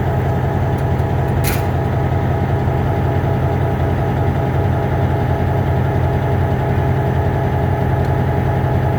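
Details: MP15 switcher locomotive on DO-1 that started right up, unlike the second unit that had a hard cold start on weak batteries; deep, even diesel rumble at steady idle, smooth slow beat, no misses or knocks.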